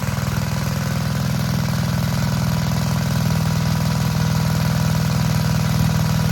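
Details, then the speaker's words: Vintage Gravely Model L garden tractor with Jenkins overhead-valve conversion, bought at estate auction, running after only cleaning points and adding gas: even, quick single-cylinder thump at about four beats a second, steady and unbroken; running healthy. "Well, folks, of all the Model L garden tractors I've bought at auctions over the years, this one has by far been the easiest to get running. Literally, all I had to do was clean the points and add some gas."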